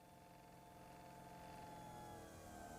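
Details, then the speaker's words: Fuel pump on a test bench under current ramping, running at a slower speed then sped up as current changes: steady faint electric hum and whine creeping slightly louder as it pumps; normal fuel pump hum. "I think you could hear the hum in the background of the fuel pump right now I'm going to change the current they see the speed and how the amperage changed and you hear that thing pumping out"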